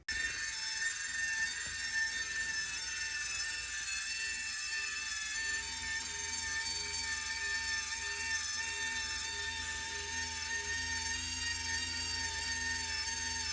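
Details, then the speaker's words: Whirlpool water softener control/timer motor: steady high whirring with a faint repeating tick that never stops, because the stop switch isn't sensing the signal to stop. "just going to keep on doing that spinning sound and same service it's not going to stop"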